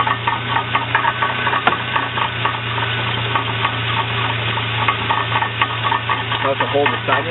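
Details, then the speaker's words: Transmission with axles spinning: steady low hum with uneven scraping clatter while axles turn and rotate oddly; cause unknown. "I don't know what's going on here. Listen to it. Okay, that's what I'm dealing with. I don't know what it is, but maybe you can help me out."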